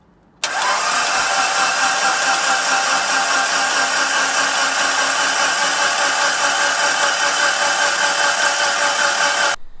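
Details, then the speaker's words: Rebuilt 2.37 stroker 4G63T Mitsubishi Lancer Evo 5 engine spun on a fully charged battery, plugs out and crank sensor unplugged so injectors don't fire: even, fast starter whir for nine seconds with no compression pulses or firing; building oil pressure. "so we've got one fully charged battery had this one charged all day just so we got proper cranking amps for turning this thing over"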